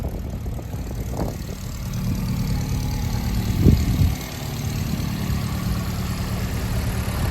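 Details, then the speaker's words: 1967 Alfa Romeo Giulia 1300 TI, still warming up after mid-January cold start in low-40s °F, steam from exhaust, Stinger exhaust with factory mufflers deleted: low, steady idle, even exhaust note, no ticking or misses; normal idle. "you can see it is just steam because of the temp low 40s she's still warming up great little Rumble 1300s just do not get the fair shap that they deserve for everything that they are"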